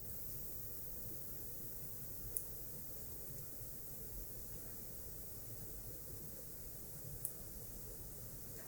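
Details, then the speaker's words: Non-latching relay, 5 VDC coil, coil voltage slowly raised then lowered in a quiet room: two sharp clicks about five seconds apart as it pulls in (~3.6–3.7 V) and drops out (~2 V); normal relay operation. "So I'm going to increase the voltage slowly, and when we reach some voltage, probably not quite at 5 volts, we should hear a little click sound as the high voltage side of the circuit switches on."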